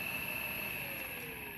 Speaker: se eu aumentar a frequência de chaveamento para o máximo esse ru fica menos perceptível do que nós estamos percebendo agora passei para 15 não tem mais zumbido da frequência de chaveamento